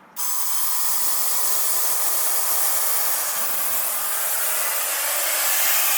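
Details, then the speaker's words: Boost leak test on a dual-turbo car with air fed into the intake port: a steady strong hiss from the one known test line only, nothing escaping elsewhere; intake holds tight, no boost leaks. "yeah I think all of its pretty much just coming out of our one line which we already knew so pretty much no booze leaks I think we're good to go"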